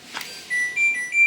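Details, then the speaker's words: LG front-loading washer WD-P1410BRD, previously totally dead, after power-supply module repair (5 V rail measured 5.027 V stable): four quick rising beeps on power-up, board now switches on and off normally. "Nah, bisa teman-teman lihat untuk kali ini langsung hidup ya teman-teman."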